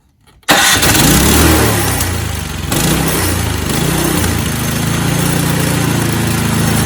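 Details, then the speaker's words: Snowblower that would not start, after fuel system and carburetor repair, choke in middle, no prime: catches on first pull, surges briefly, settles to steady even chug with no misses; normal start and idle. "So I was pretty close to pull the trigger and go and buy a new snowblower, but managed to salvage that one."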